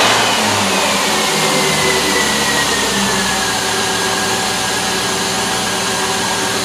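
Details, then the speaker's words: Vehicle with a battery that was already low, cranking while voltage is monitored: loud, labouring starter chug at roughly three and a half beats a second, voltage dipping to 8.89 V; slow crank from low battery. "This battery was pretty low to begin with, but we can take a look."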